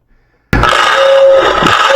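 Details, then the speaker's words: Lionel O-gauge steam locomotive's motor-driven air whistle: it cuts in and holds a steady, reedy tone without the whistle button being pressed. Suspected stuck relay; not confirmed. "Yeah, this one I think has a stuck relay."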